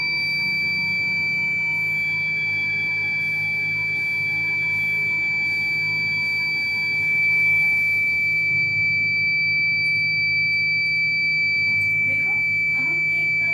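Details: Kent RO water purifier: a steady high-pitched electronic beep holds unbroken for about eight seconds, then cuts off; fault alarm, cause unknown.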